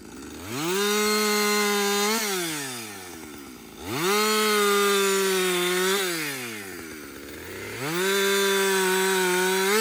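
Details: Husqvarna 562XP chainsaw back from the shop after a software reflash, previously dying when hot, stumbling and not starting: it screams at a steady high pitch through each cut, bogs slightly and recovers cleanly. First full tank run without stopping; healthy under load.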